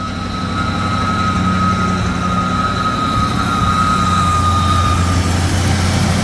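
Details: 1966 AMC Marlin 327 V8 cold start after pumping gas: over a lumpy idle a steady high whine from a clutch spinning when it shouldn't rings out, then fades after five seconds as the car warms.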